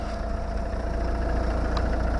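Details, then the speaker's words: Ford Mondeo Titanium diesel, six-speed, clean well-kept car: engine started and idling, an even low diesel beat with no knocks or misses, running nicely and smoothly; normal idle. "a odpalić wizerunek Patryk i chodzi silnik pracuje Ładnie równo"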